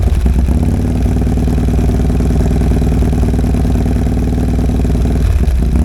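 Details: 2022 Harley-Davidson Road Glide idling after installing a Cyclerama CR483 cam: loud, deep lumpy idle with an uneven chop about three pulses a second, steady and strong; healthy big-cam V-twin.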